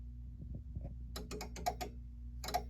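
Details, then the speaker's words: SolarEdge inverter restarting after the switch is turned back on, during its three-to-four-minute wake-up cycle: a quick burst of sharp dry relay clicks, then two more, over a low steady hum; normal startup. "if you actually listen while this is booting up you'll hear the relays clicking as the thing is becoming activated within a couple minutes"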